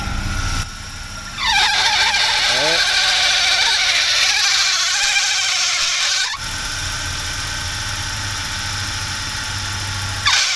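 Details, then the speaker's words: Volvo 940 with warm engine, steering wheel turned to full lock: a loud, wavering high squeal that eases off after, the loose belt slipping as the power steering pump comes under pressure; belt needs tightening. "Yeah, that's not supposed to do that. The power steering pump is causing the belt to slip."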